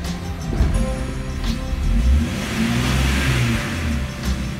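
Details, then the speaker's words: 2004 Jeep Grand Cherokee WJ 4.0 over 200,000 miles, after O2 sensor replacement for intermittent code P0138: uneven lumpy note that stumbles and hesitates on revving; owner suspects misfire, cause unknown, ran better before work. "i still feel to me it feels like there's a misfire it just don't feel as smooth of course this is over 200 000 miles i don't know it can have other problems and see it hesitates"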